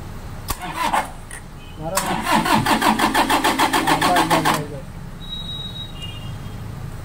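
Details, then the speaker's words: Toyota Innova cranks but won't start, fuses OK: even cranking at about three and a half beats a second that never catches; test bulb shows no power at the injectors, injector driver suspected. "చూడండి selfie కొడితే power వస్తలేదు."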